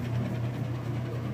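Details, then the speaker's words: Used Kenmore washer during performance check, final spin cycle at about top speed: steady, even low hum with no knocking, thumping or scraping; normal spin cycle. "be at about top speed you can see it's nice smooth sounds great and I'm gonna lift the"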